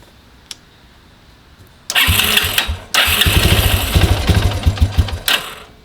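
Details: Grizzly 125 chain-driven quad unrun over six months, running on car oil: brief crank, then single catches with uneven popping idle that steadies; starts fine.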